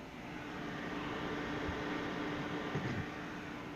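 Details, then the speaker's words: HomeYears portable power station with a 500 W inverter running an ice maker: a steady low hum with even fan rush and no surging or stutter. The inverter is handling the load; normal operation. "but so far the inverter seems to be handling everything um you can hear it"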